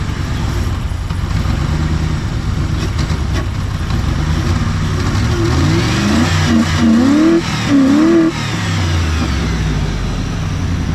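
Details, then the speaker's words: Mercury Grand Marquis revved in place surges unevenly and stumbles with an irregular beat instead of climbing cleanly; the running problem returned, an intermittent misfire of unknown cause. "All right, the running problem came back. I'm not sure what it is, but here's the symptoms there."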